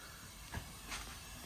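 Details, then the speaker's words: Robot boxer with a blown air line: steady airy hiss with brief knocks as the line whistles out; fix is replacing or reattaching the air line. "So, as you hear that airline whistling out, that's a pretty easy fix. I just uh I got to come up here and reattach this airline."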